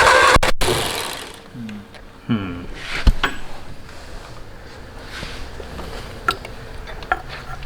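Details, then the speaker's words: Canoe hot rod with 1953 Ford Anglia flathead engine, unrun for 47 years: starter turns it over in short bursts with no firing at all; cranks but no spark at plug, distributor cap dirty. "i felt it in the spark plug a little bit but there's no spark on the plug"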